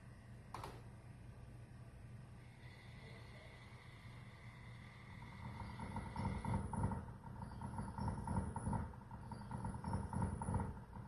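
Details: Tesla Model 3: a loud pulsing whir with a low hum, like a loud water pump, when the A/C runs; service replaced the cooling fan and condenser.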